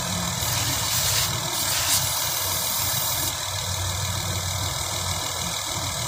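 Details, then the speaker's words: Honda Pilot with suspected intake vacuum leak; uneven, stumbling idle with constant hiss, air sucked past intake gaskets leaning it out and misfiring; confirmed by spraying combustible around intake and hearing idle change. "Now, I can already hear the vacuum leak on this engine, but watch this."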